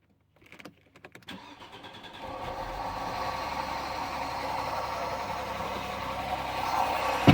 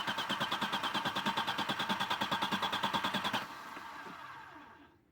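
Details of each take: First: 1996 Audi 80 Coupe 2.6 V6, unmoved for 15 years, on stale old fuel with the air cleaner off, in neutral: a few cranking turns, then it catches and settles into a steady, slightly rough idle. Now running; the owner later suspects tappets, an exhaust leak or a stuck valve. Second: 1996 Audi 80 Coupe 2.6 V6, unmoved for 15 years, with a flickering battery light and no fuel pump heard. Steady cranking that never catches; no fuel delivery. The fuel pump fuse is fine and the relay is suspected.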